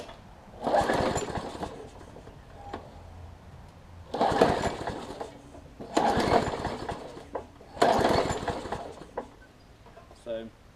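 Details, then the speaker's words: Craftsman push mower, primer now priming but carb not yet cleaned (owner suspects clogged passages), low on gas: catches in short bursts, runs slow and uneven, then sags and fades; it gets better as it runs. Rough slow running. "all right y'all let's see sounds like it's a little on the low side or the slow side whatever pull it out a little bit climb it up a little bit okay it's getting better"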